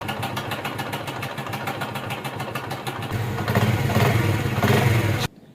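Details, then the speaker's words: 2021 Honda CD70 motorcycle at idle with a loud timing chain noise: a fast metallic clatter of about three ticks a second that grows louder on revs, a loose timing chain rattling. "आज मेरे पास एक गाड़ी आई हुई है 2021 model इसकी टमक चैन में इतना ज्यादा शोर आ रहा है इतना ज्यादा आवाज है"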